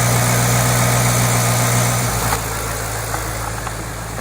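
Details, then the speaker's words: 2008 Ford Mustang GT convertible, cold idle after changing from dirty 6,000-mile oil to synthetic Pennzoil Platinum; smooth, even low rumble with no knocks or ticks, healthy. "we're gonna do a back to back video so you can do a comparison of what it sounds like with dirty six thousand mile oil which is probably crap oil with a crappy filter versus some nice synthetic Pennzoil Platinum"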